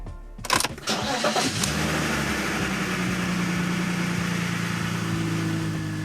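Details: BMW E46 330i cold start the next day, after about 40 km of driving with cleared codes following exhaust flap work: short crank, clean catch and steady, even idle with no misses or rattles; no engine light.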